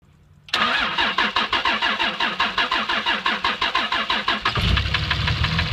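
Even cranking pulses, then it catches and settles to idle with a rough knock underneath; cause of the knock not determined.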